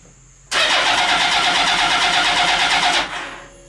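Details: Mini trophy truck project on its first start-up attempt, with the fuel pump audibly working and the clutch pushed in so the engine will turn over. The starter churns steadily for about 2.5 seconds with even compression pulses, but the engine never fires.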